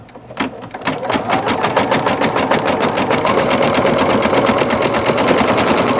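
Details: Singer Futura XL 550 sewing machine after the bobbin-area rattle fix: steady, even stitching rhythm, about three and a half strokes per second, with no rattle or clank from the bobbin area.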